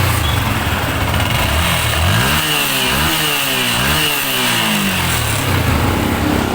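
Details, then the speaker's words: Sniper 155 single-cylinder motorcycle after repair (cam gear replaced, slack timing corrected; earlier camshaft and clutch damper swaps elsewhere failed to cure the noise): even idle, smooth throttle blip, settles back; normal now. "O ngayon ito naandar niyo anan normal na ulit yan. Sniper 155."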